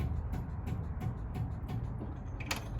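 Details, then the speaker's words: 1961 MGA roadster, battery charged overnight, hidden fuel pump switch turned on: electric fuel pump ticking steadily about three times a second, cycling normally and delivering fuel; cracked fuel lines are to be replaced next. "so uh yeah now when I turn it on you can hear it and you can see it pumping"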